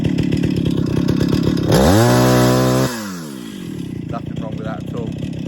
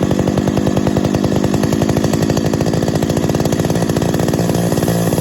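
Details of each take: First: 50-year-old Stihl 031 AV Super chainsaw after full rebuild, first start and tune: steady idle, slight bog from fuel in crankcase, then clean sharp climb to full revs and back; normal throttle response, running a bit rich. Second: 50-year-old Stihl 031 AV Super chainsaw after full rebuild, first start and carb tuning: steady high-revving two-stroke buzz with faint tinny tinging rattle, believed loose baffle inside muffler.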